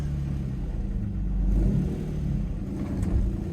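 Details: Auction car (Infiniti or Nissan) with 144,000 miles revving; deep smooth rumble swells with throttle and drops back evenly, no knocks or rattles, sounds really good: normal healthy revving.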